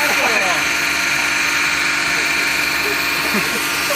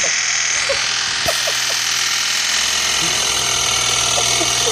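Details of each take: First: BMW N52 69k-mile junkyard engine after holding revs near 3,000 rpm to bleed the lifters on first start: smooth, even idle with a steady hiss and no top-end ticking; lifter tick resolved, normal idle. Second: BMW N52 69k-mile junkyard engine, first start after swap, revs held near 3,000 rpm to bleed the lifters: busy light tapping over a whine at steady high speed; lifters still ticking.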